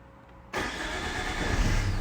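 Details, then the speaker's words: Direct-injection common-rail diesel started in neutral after fault codes cleared; fires on first turn of the key and settles to steady even idle, starter engaging properly, no warning lights or leaks; normal start. "on the key lovely so there we go no lights obviously the starter is engaging as it should be and no leaks"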